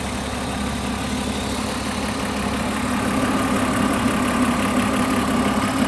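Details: BMW E36 323 petrol inline-six idling steadily with a light ticking running through it, about three ticks a second; engine ticking at idle.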